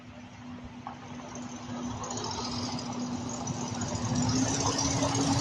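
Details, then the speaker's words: Old Mopar 318 V8, recently fitted with a Dodge Durango mini starter, with a bolt broken off in the block at the exhaust manifold: rough idle with a quick, fairly regular puffing tick, about three per second. Exhaust manifold leak. "major exhaust leak by the manifold as you can tell there there's a b broken off in the block which I am not dealing with right"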